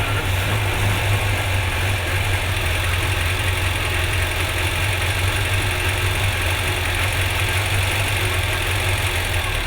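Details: Vintage car after a loose plug lead was refitted and it had run rough on 3 cylinders, possibly rich: steady, even idle with a smooth low drone and no misfire stumble, all cylinders now firing evenly.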